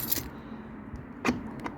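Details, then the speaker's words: Mobilvetta motorhome habitation door central locking: the solenoid clicks and unclicks but the door doesn't lock, though the key locks it; owner suspects the rod or linkage to the inside handle has popped off. "uh the alarm wax or the solenoid works but I can hear it clicking and unclicking"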